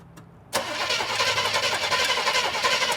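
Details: Chevelle barn find abandoned 24 years, cylinders oiled, while checking whether the ignition points open and close: steady starter whir at about four turns a second with no firing; a crank, no-start from no spark at the points.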